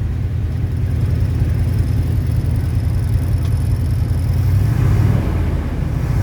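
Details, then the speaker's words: 1977 Ford F-250 Dentside 4WD V8, revived after sitting 15+ years, after its fuel pump was repaired. A deep, slightly uneven idle rumble, running steadily though a bit rough. It runs fine, though not the cleanest sounding vehicle. "and as you can see she's running fine now she may not be the cleanest sounding vehicle right now but that's some project for later on"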